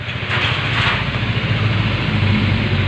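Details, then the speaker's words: Honda CBR150 LED single after repair of severe top-end rattle, oil passages cleaned and oil now spraying well to the cylinder head: smooth, even idle with no ticking or clatter, healthy. "Oke untuk motornya sudah beres ya Eh sudah bagus kembali dan suaranya pun halus tidak Berisik dan olinya yang menuju ke Blockhead bagus nyembur tidak masalah"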